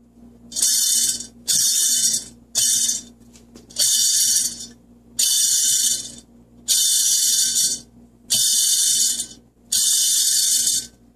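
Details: NP208 transfer case: dry, gritty rattling bursts from a worn output shaft bearing (SKF 6207/C3), heard as vibration/noise with the clutch engaged under light neutral throttle between acceleration and deceleration; replacing the bearing eliminated it.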